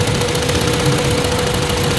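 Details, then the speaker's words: Hyundai Elantra after computer box repair for no crank no start: steady idle with uneven, shaky pulse; one cylinder weak and misfiring, found by pulling plugs one at a time, its plug oil-soaked. "So yun pala so ito naging problema niya mga sir ah basa an basa ng langis kaya pala ano siya nangangatal"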